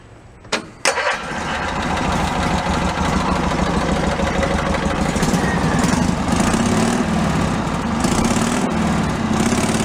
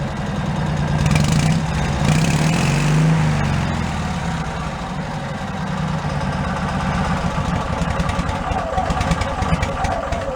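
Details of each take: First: Cushman Meter Maid with a trial exhaust made from a cut-down motorcycle muffler, one outlet corked: quick crank, catches and settles into a steady, even exhaust putter with no misses. Normal idle, runs cleanly. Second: Cushman meter maid small engine with new custom muffler cut from a motorcycle muffler, running on a stand: light quick ticking over lumpy idle; valve clatter, valves need adjusting.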